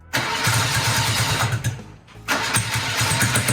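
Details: BMW Airhead twin motorcycle, project bike started after charging its dead battery, fuel tank low and on reserve: even thumping beats as it cranks and fires, a brief dip, then a steady rhythm. Normal starting.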